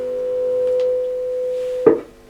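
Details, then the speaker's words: Refurbished Selmer Little Giant valve amp in an unscreened wooden cabinet gives a steady tuneful mains buzz, ended by a clunk; mains hum pickup. "it seems very susceptible the amp to pick up uh you could probably hearing it hear it buzzing away now"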